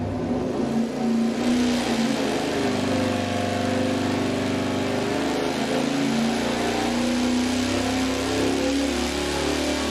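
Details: 514 Big Block Ford V8 on dyno, full-throttle pull after fitting new plugs and MSD Blaster coil: loud, steady roar with even firing, no stutter; clean pull, 648.2 lb-ft, 633.2 hp.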